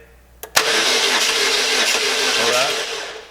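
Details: 2004 Pontiac Sunfire 2.2L crank-no-start; starter spins steadily about three seconds with an even whirr but the engine never catches; fuel pump not running, control side and ground confirmed good.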